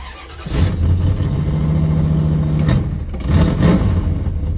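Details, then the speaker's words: 1976 Dodge Dart Swinger with a 340 V8 and Edelbrock carburettor, cold start: the engine catches, revs unevenly and sags between blips, struggling to hold a steady cold idle; rough cold running, possibly fuelling. "ready to hear the saddest 340 noises of all time cold start"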